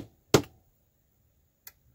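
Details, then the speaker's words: Original Clapper sound-activated switch after teardown and minor repair, set to low sensitivity with two lamps; a sharp clap then a faint relay click switching a lamp, working normally. "So that's that one off on the right side. And that's that one over there. Cool. And you can control them separately. It works."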